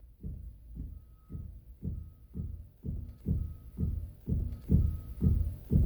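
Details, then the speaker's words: 2006 Subaru Impreza WRX 2.5L turbo, raised on jack stands: dull low knocks about twice a second as the front wheel is rocked side to side, with excessive play; worn lower ball joint. "Now, unless the camera's crap or you're deaf, you should be able to hear that knocking sound. The knocking sound, of course, indicates a problem."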